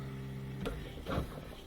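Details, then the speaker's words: New Bosch Ascenta dishwasher, first startup after installation: drain pump hum fades, then a click and soft water rush as the fill valve opens after safety checks pass; normal fill valve opening. "Now we can hear that valve just opened up. We can see this move, and that means it did all of its safety checks, everything checked out, and now it opened up this valve and we have water coming into the dishwasher."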